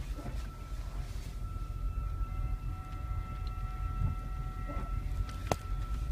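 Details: Toyota Prius driving with a steady high whine over heavy low road rumble, heard two days after new front brakes were fitted.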